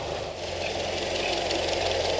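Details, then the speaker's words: Land Rover Series 1 80-inch petrol engine, first start in over 20 years, cold day, fuel fed directly from a reservoir into the carburetor: short stretch of steady, smooth idle with no knocks or misses; normal idle. "okay engine's sounding really good actually on this yep there we go"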